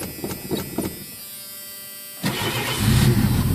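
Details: 1983 Ford LTD: a few short cranking bursts, a quiet gap, then engine suddenly catches and roars into a rough idle; reluctant cold start needing several accelerator pumps.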